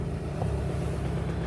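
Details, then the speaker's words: BMW 1 Series diesel with no power, clogged diesel particulate filter suspected, throttle floored: engine drones low and flat without climbing, labouring and wanting to cut out, then cuts out; bogging, sensor voltages still to be checked. "Okay, see that? That's me right down to the floor. You can hear the engine wants to cut out."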